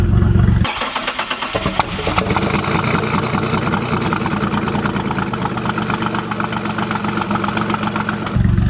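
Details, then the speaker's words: 1999 Chevrolet Camaro 3800 Series II V6, 5-speed manual, Y87, twin-turbo build: first start after fuel pressure reached 40 psi (suspected flooded cylinder earlier). Starter cranks, engine catches into steady, slightly lumpy idle with quick blip; normal first start and idle. "that's your first start everybody all that was [ __ ] sweet hell yeah she is running"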